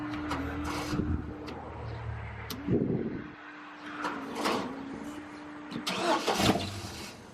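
Starter churns steadily, the engine catches for a moment and then dies off; traced to a bad relay and the wrong fuel pump.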